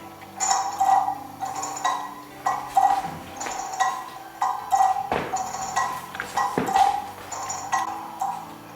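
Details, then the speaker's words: Kieninger longcase clock movement on a test stand with a new suspension spring and a beat amplifier: ticks come in uneven pairs, so it is out of beat. The pendulum jumps because the crutch hits a pin; beat is set by a nut on the pendulum leader. "as you can hear it's not in bead it's definitely not in bead"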